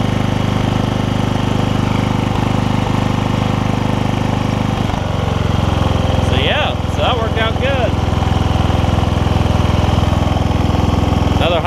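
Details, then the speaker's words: 32-year-old Toro Wheel Horse 1232XL hauler, 12.5hp Briggs single-cylinder, after Hipa carb kit and new spark plug: steady even thumping through throttle changes, no stumbling; runs normally, slightly better with new plug. "all right the plug the new plug got it run a little bit [Music] better"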